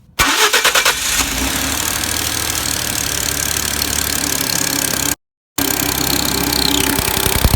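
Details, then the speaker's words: 2012 Ford F-150 XLT 3.5L twin-turbo EcoBoost, about 64,000 miles, before repair, cold start: fast sharp ticking over idle; bad knocking from passenger side on startup and chirping on acceleration, identified as exhaust manifold gasket leak. "one thing that I noticed is it had like a a chirping sound upon acceleration and a real bad knocking sound out of the passenger side on Startup"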